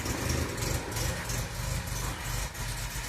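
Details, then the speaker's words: Restored 1966 MGB GT four-cylinder on bell-mouth carbs, mixture sorted, recorded on phone: soft, fairly even idle with light exhaust patter and outdoor background; very quiet, healthy engine. "I mean, it's a very quiet engine, but these, well, my phone, it tends to pick them up a bit more."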